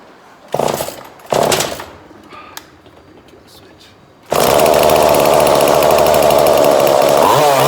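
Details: 2002 Husqvarna 136 chainsaw after carburetor replacement, during tuning: two short blips, then hard steady high revs with a tight buzzing note; mixture screw turned to make it bog, then trimmed back to a crisp sound.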